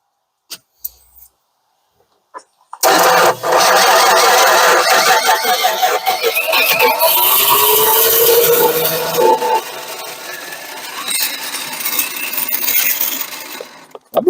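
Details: 1968 Dodge Dart 270 slant six, previously abandoned, with terrible old gas in it: steady starter cranking for about eleven seconds that never catches or fires. It cranks but won't start, suspected to be a fuel problem from dead gas.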